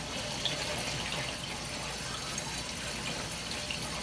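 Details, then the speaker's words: Hydronic heating loop with circulators being purged, burner off, returns closed, water entering via supply through the loop and out the bypass; steady hissing rush with spitting and sputtering from trapped air. "definitely ear in there watch that little over 30 lb and a leaf will bow if that's the case definitely got ear in it you can hear it"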